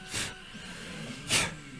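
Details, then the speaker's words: Prusa i3 MK2 clone 3D printer during first print: extruder stepper hums faintly, broken by sharp clicks about a second apart as it skips steps; motor feels cool, heat sink very loose, thermal shutdown doubted. "the extruder is definitely skipping steps right now uh I can hear it just clicking away uh every now and then"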